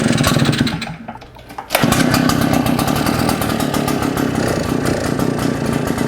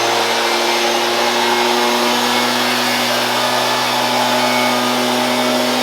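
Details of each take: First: Shindaiwa EB802RT commercial backpack blower with Walbro carb, idles but dies on acceleration, run without air cleaner and spark arrestor: loud, ragged two-stroke, about four uneven pulses a second, never picks up; no change except louder, carb suspected. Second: Shindaiwa EB802RT commercial backpack blower after new carb gasket (old lacked crankcase pulse holes), previously died on acceleration: steady high-pitched roar at constant speed with no surging, sputtering or dropouts; runs healthy.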